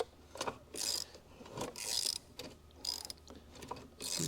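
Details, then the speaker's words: Previously seized Honda CL90 engine turned slowly by wrench after PB Blaster was sprayed into the cylinder: gritty, crunchy rasping bursts with each pull, still tight and binding but starting to feel better. "See if it gets better. Oh yeah, starting to feel a little better. Oh yeah. It was a little crunchy going around the first time."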